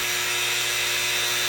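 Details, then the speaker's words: 3018 CNC with its original, worn-sounding spindle motor during PCB probing and routing. A loud, steady high-pitched whine with a harsh, nasty resonance, linked to cutting-bit run-out and inconsistent cuts. The spindle motor was later replaced. "Man, that is noisy though. Like it has a nasty resonance."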